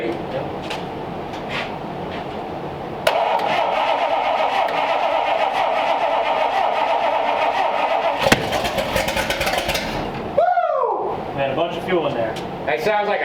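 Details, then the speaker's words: Olds engine in a 1932 Ford coupe, first start on stock distributor after long cranking: sharp bang as it catches and stumbles, excess priming fuel making the carburetor spit back a big fireball. "that shot a very big fireball"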